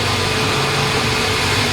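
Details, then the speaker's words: Nissan Grand Livina with the engine running after the front wheel bearing that caused a hum was replaced. The spinning front wheel now runs smooth with an even hiss and no growl. "Coba kita tes kita Nyalain diposisi ini udah putar bunyi udah enggak ada"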